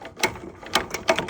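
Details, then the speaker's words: Subaru pressure washer engine with pump, bought non-running: three bursts of recoil ratchet clicking, crankshaft won't turn; engine stuck, owner hopes rust is holding the pull starter. "you can see it doesn't go anywhere. Doesn't pull. I tried."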